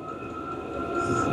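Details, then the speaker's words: New Vevor XMZ-L-D3 diesel heater in level mode, heating power turned up, fuel pump ticking faster: steady fan whine as air and combustion rush swells; running healthy at high output. "Vous avez vu, la pompe marche. On entend de plus en plus la pompe vite. Et voilà. Vous réglez votre puissance."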